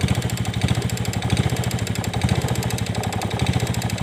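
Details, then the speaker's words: Yamaha Vega Force fuel-injected motorcycle with new cam chain and new piston: fast, even light ticking over the idle thump in time with the engine, sounding like cam chain noise; top-end tick, cause not confirmed. "kita kedatangan motor Vega Force yang injeksi kalau hanya teman-teman nah selalu bunyi kayak rantai klep"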